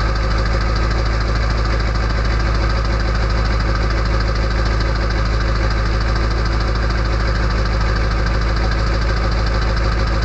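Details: Early 1999 Ford F-250 diesel cold start at 34°F, sitting on high idle with the exhaust back pressure valve (EBPV) closed: loud, constant diesel clatter at a fast, steady idle with no stumbles; normal cold start.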